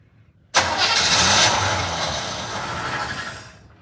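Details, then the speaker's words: 1975 Chevrolet Monza 350 V8, first start attempt in 12 years, carburetor still dry with only starter fluid: starter turns the engine over with a hard steady whir for about three seconds but it never fires; cranks, no start. "I have no fuel in the carburetor yet uh assuming it I've it actually pops off or does something um I'm gonna hook up just gravity feed to this fitting but it's full starter fluid and let's see what happens"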